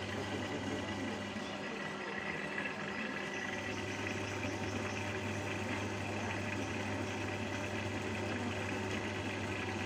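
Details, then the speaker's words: Motor after lubricating the neck/bearing area: smooth, even, quiet hum with a soft steady whir, no rough growl; running quietly and suitable for long work sessions. Normal running. "nah ini udah enggak enggak punya rokok lagi suaranya adem jadi buat lembur juga enak ya enggak begitu kenceng suaranya"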